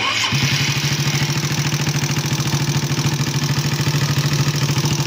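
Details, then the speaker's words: Suzuki Raider 150 at idle before repair: sharp, regular ticking clatter on each firing pulse; valve clearance excessive from non-original valves. "Yan, kumakinggan nyo, puro lagitik yung tunog na itong ano."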